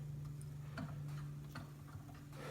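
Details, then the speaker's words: Small Arduino CNC router axis run: faint sharp clicks about every 0.75 s over low motor hum; not heavy, but the clicking comes from the bearing, likely blown, suspected of causing interference. "Aqui não está pesado, mas esse estralado que está dando é o rolamento que está fazendo."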